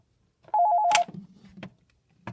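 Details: Push-button phone with an electronic ringer set to its low setting, on a Panasonic TA824 hybrid PBX, called from another extension: a short burst of rapid two-tone warbling trill in a quiet room; ringer working normally.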